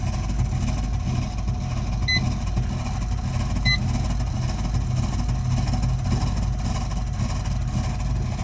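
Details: Burnham Alpine boiler with a continuing loud-noise problem: loud, steady low roar fills the room, with a couple of short beeps; the boiler is burning noisily, cause not yet found.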